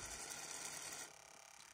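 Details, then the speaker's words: Fuel injector from a 1992 Ford F-150, previously stuck, on a bench tester after soaking in cleaner: rapid, light mechanical ticking as voltage is applied, showing it now opens normally. "now you can hear that ticking right there so before that wasn't ticking at all"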